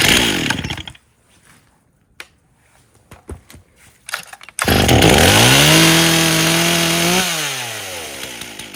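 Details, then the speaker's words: 1998 Stihl 044 Magnum chainsaw, fully rebuilt, first test run with 25-inch bar, idle spec 2700 rpm: after clicks fires, revs briefly, settles to even steady idle without stumbling; idle acceptable though starting was hard, carburetor suspected. "so she isn't idling too bad just by the sounds of it"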